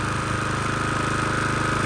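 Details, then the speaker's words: Honda GCV160/190 engine after storage despite fuel stabilizer, after carburetor cleaning, started with a drill: small single-cylinder runs at an even fast pulse with no misses or surging; fixed by carb clean, normal running. "Just needed a carb clean. I'm happy with that."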